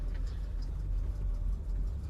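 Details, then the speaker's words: 1976 Dodge Chinook camper van, cold start needing warm-up: low, uneven, slightly lumpy rumble at idle; owner suspects it needs a carburetor rebuild, not confirmed. "This probably needs a carburetor rebuild."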